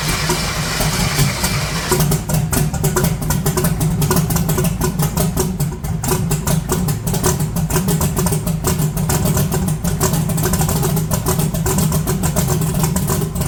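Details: 1982 Chevy S10 running oxygenated race-blend fuel, heard after disconnecting a component: an uneven idle with irregular stumbles about every second; misfire persists, possibly running too rich, with idle mixture screws wanting to be turned in.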